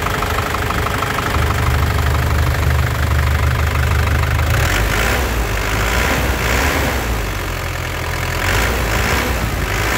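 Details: Black 2014 Isuzu Panther LS Turbo diesel, low mileage, dry engine with factory-sealed bolts, idle: steady low rumble with even, crisp clatter, vibration stable, no misses or hunting, no smoke; normal healthy idle.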